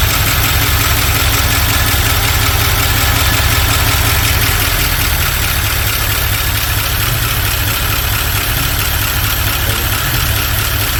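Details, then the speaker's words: 1978 Dodge D150 with a 318 LA V8, first start after a couple of years sitting. An uneven, lumpy idle with irregular thumps about three per second. Running rough, and the crew say the ignition timing is a little advanced. "everyone timing a little off what do it Loose hangang no it's not loose it's Advanced very Advanced not very Advanced it's a little Advanced"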